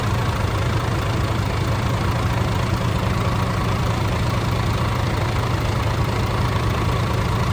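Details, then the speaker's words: DAF CF85 Euro 6 that had a top-end knock, started for the first time after replacing the inlet camshaft, rocker arms, engine brake parts, filters and rocker gasket. The diesel idle is steady and even with no knock, only a slight exhaust blow. "Bar that exhaust blow, I think it actually sounds alright."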